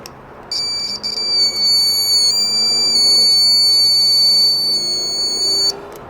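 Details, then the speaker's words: Buzzer tested on its own off the board; a loud, steady high-pitched beep held about five seconds without dropping out, so the buzzer works. "entonces por ejemplo aquí vamos a probar uno y ya sabemos pues que está bueno porque está pitando"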